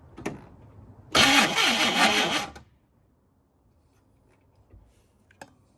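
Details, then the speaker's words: 1969 Chevrolet Caprice, 427 V8 with 4-speed, sitting since 1988, after fitting new points: short burst of uneven starter cranking that dies without catching; engine turns over but makes no spark, crank no-start. "crank it crank it it's moving but it's not uh not making any Spark"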